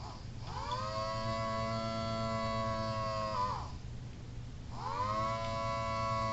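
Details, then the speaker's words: Homemade mini Thunderbolt siren rotator running on a used, about half-dead 9 V battery when it needs 18 V for full output: wailing tone rises, holds about three seconds, drops, winds up again, sounding thin and weak. "I'm running this on a used 9 volts DC battery, and it's a little low on power, so it might sound like a chopper level 4 or whatever. It's probably like half dead."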